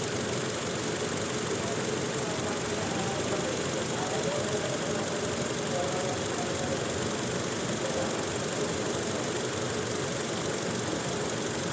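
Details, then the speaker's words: Toyota Innova petrol engine idling rough with an irregular stumble: it misfires when revved, with no check-engine light and no stored DTCs. Ignition waveform check shows spikes on cylinder two, pointing to a faulty ignition coil. "Hello friends यह Innova petrol यह इसमें problem य आ रही है कि इसमें miss firing हो रही है यह पूरी मैं रेस कर मिस फायरिंग हो रही है और चेक इंजन में नहीं आ रही है"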